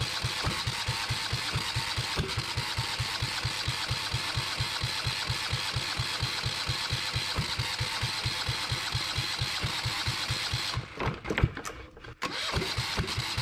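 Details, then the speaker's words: Yanmar 1GM single-cylinder marine diesel in a shop, with cooling water running through to flush the cooling passages after the fuel was bled: steady, evenly spaced thumps at about six per second, running cleanly and not bouncing. Normal idle. "I just wanted to start it up I got that water going through there I know the lighting sucks um but thank goodness that I've got it running um and it's not bouncing"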